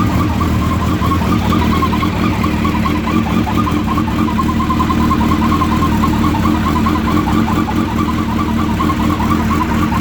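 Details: Suzuki Hayabusa at idle, recorded from completely cold; the owner says it sounds the same at any temperature. A constant mid-pitched whir rides over a soft uneven pulse. It is an engine whirring noise whose cause is not yet identified.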